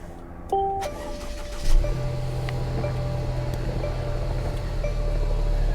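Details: Salvage-auction car with 77,000 miles and a check engine light on. A door chime, a brief crank, then the engine catches at once and settles into a smooth, steady idle: a healthy start.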